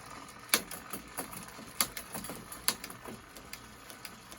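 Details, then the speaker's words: Shimano Deore XT M770 flat-bar shifter on a 10-speed cassette, stuck and intermittently indexing: repeated light lever clicks, four pushes needed before it actually shifts, chain stuck mid-cassette; shifter sticking, not indexing cleanly. "Okay, so I had to hit that 4 times before it would actually shift."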